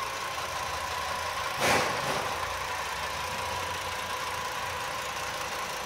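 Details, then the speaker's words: Normal-sounding 2.5 L five-cylinder engine idling, recorded on a cell phone as a reference for a viewer's noise worry: steady even hum with no knocking or ticking rising above it; sounds normal and healthy. "here's one that I consider to be normal sounding I know it's going to be difficult with the uh microphone uh or the phone cell phone uh determining engine noise but anyways here it is"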